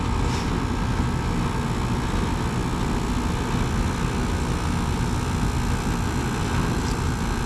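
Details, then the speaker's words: 2010 Carrier GasPack (14 years old), cooling run on a 64-degree day during a no-heat call, well above freezing; constant low drone with steady mid-pitched hum, no rattles, clunks or squeals: compressor operating normally. "I'd say it's still working. The air conditioning is working. That's all we really needed to know."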